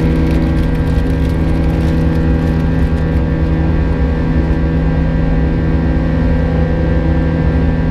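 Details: United Airlines A320 climbing out of Houston IAH for NYC LaGuardia, recorded in the cabin: steady buzz-saw engine drone with a thin, constant high whine from 1:33 until level-off; cause unknown, and the uploader heard it once before in an exit row.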